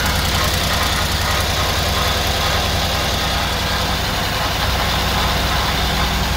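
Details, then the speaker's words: Mercedes S63 at about 80,000 km during a checkup: long cranking with a steady rumble and a rough undertone, a grinding sound from inside the engine, and it is also misfiring. "something is wrong here omar first of all you have a long cranking second there is something like yeah sound inside something is grinding here"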